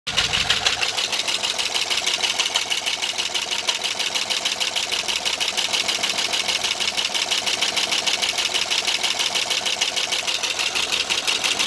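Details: 2009 Pontiac G8 GT V8 at idle, about 122,000 miles, with a cam and DOD delete by a previous owner: loud, sharp lifter tick about three per second, much louder than normal valve noise; owner suspects the delete was done badly.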